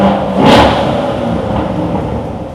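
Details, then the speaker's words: 2014 Corvette C7 petrol V8 after repair of a customer-reported ticking noise (no OBD faults) blips briefly and settles to a smooth, even idle with no ticking. "As you can hear now, the tickling noise has been gone and the car is ready to go, and we cannot hear any sounds, only we can hear the engine sound."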